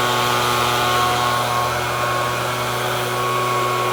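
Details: 2018 FUXTEC FX-LBS126P two-stroke leaf blower at throttle after a cracked fuel intake hose was replaced: strong, even high-revving buzz with no misses or surging; normal running.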